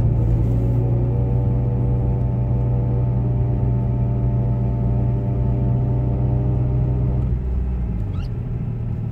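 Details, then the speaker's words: Imported JDM Mitsubishi Evo 6; over low engine rumble a steady thin whine holds then cuts out as the AYC pump whines after driving a little, then AYC light comes on; car drives fine, cause unconfirmed, garage suggests ABS fault may trigger it. "So you start the car up, no AYC light on, you start driving a little bit, it sounds like the pump starts having a bit of a paddy, whining, then the light comes on and it goes."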